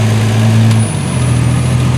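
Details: 1976 Triumph TR6 idling: steady low even hum, no misses or knocks; runs well and quiet, normal idle. Fuel leaking at the o-rings, so run only briefly.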